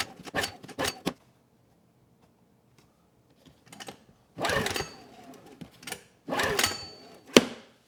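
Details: Honeywell HW2000i 2000 W inverter generator, cold next morning, choke and fuel on: several rattling recoil pulls with quiet gaps, no firing stroke; dead no-start caused by a spark plug gapped far too small.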